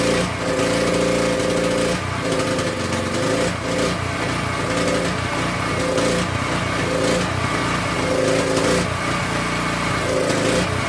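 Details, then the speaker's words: King Canada 3000 W generator, no air filter fitted, loaded with a heat gun and making good voltage: small engine pitch swings up and down every second or so; hunting, owner plans to fix it by changing the air filter. "Our problem is the hunting. We're going to solve this by changing the air filter."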